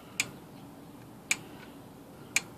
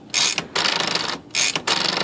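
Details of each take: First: Smith Corona typewriter, no-silencer model: sharp metallic ratchet clicks and a quick rattling run, loud escapement clatter with no silencer. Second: Smith Corona typewriter (no-silencer model) after freeing a sticky part and adjusting the power spacer and escapement: quick ratcheting clicks in two even bursts as the carriage travels and latches cleanly; carriage previously would not latch.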